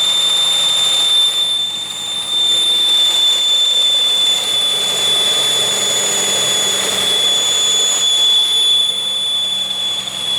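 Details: 2001 Pontiac Aztek GT after reassembly, belt reinstalled after checking a sensor behind the harmonic balancer: thin steady high-pitched whistle over the running engine; source still unknown.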